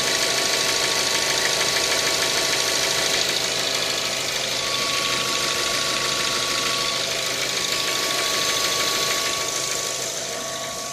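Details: 2012 Mazda 3 1.6, 107,000 km: steady, fairly regular light knocking about three a second over a bright, busy idle; engine knock, cause unknown.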